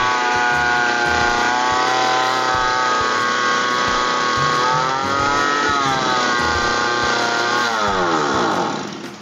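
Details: Grass cutter engine revving high by itself on start with the throttle at normal: high, steady screaming revs that never drop to idle; causes include the throttle cable tangled with the flexible drive cable or a too-loose throttle adjustment.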